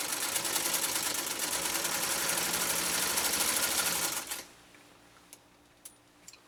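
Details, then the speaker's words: Singer 192K Spartan (0.80 amp motor) sewing two layers of acrylic fiber, working harder than on leather: a fast, even stitching clatter at about three and a half stitches a second, steady, then stopping cleanly; healthy machine under heavy load. "the machine you can hear is working harder when it's sewing the acrylic fiber than when it's sewing leather"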